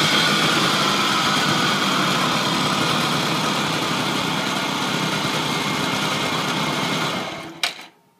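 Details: Honda Lead 100 scooter at 19,900 km on genuine Ultra 2 oil: small engine runs with a fast, even tapping rattle, about four beats a second, until shutdown; abnormal engine noise, owner suspects the model's known chronic fault.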